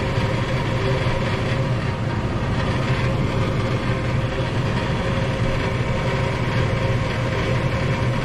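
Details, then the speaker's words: Furnace after replacing a seized draft inducer motor, heating cycle completed: smooth, constant low hum and airflow with no rattle, scrape or wobble; furnace and blower running normally. "It sounds like it's running pretty good."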